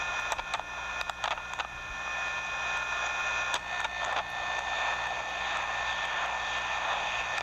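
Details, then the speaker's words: Fluid power demonstrator cylinder extending: sharp valve actuation clicks, then a steady scratchy rubbing hiss from a misaligned cylinder under about 25 pounds of side load; retracting makes no sound. "Cylinder go, you hear that sort of rubbing sound? That's a misaligned cylinder, about 25 pounds of side load."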